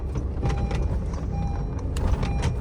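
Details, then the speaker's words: Car after brake pad replacement: loose caliper pins had caused noise below 1,600 rpm and have now been tightened. Driving over speed bumps and a tiled road gives low road rumble and soft tyre thumps with no clunks or rattles. Suspension and brakes are normal. "तो अब गाड़ी काफी ज्यादा जो smooth चल रही है और खड्डो में भी और वैसे भी काफी अच्छा एक्सपीरियंस है"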